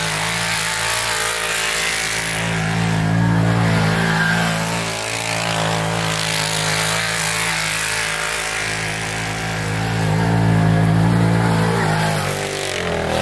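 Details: 2012 Arctic Cat Wildcat 1000 UTV driven hard in snow, doing donuts and drifting: loud, steady engine pulling hard, revs rising and falling smoothly with throttle, no knocks or grinding; normal, healthy running under load.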